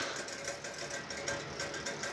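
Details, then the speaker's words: EVGA 750 BQ 80+ Bronze PSU, about 2 years old, used in a mining PC: faint, quick, regular ticking with thin coil whine. It seems to be the fan hitting something; it worsened over days and the PC shuts down every 12 hours. Suspected, not confirmed. "so yeah that seems to be the fan hitting on something in my power supply"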